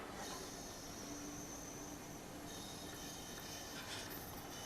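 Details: Coleman camp stove lit indoors and warming up: a steady, even roaring hiss with a faint constant whistle and no sputtering or surging, the burner running normally.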